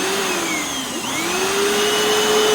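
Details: Hoover FloorMate Deluxe hard floor scrubber in wash mode on old tile, clean tank about one-third vinegar in tap water, being pushed: steady motor whine dips briefly under the push, then settles to an even pitch; normal operation.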